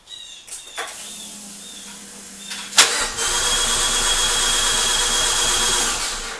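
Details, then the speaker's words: Fiat 500 Abarth engine swapped into Dallara, unrun over six months, no fuel in rail: after faint clicks the starter spins at an even, hollow, light beat with no compression strokes; hydraulic valve actuators bled down. "you notice what it's cranking it it doesn't sound right something that's got no compression"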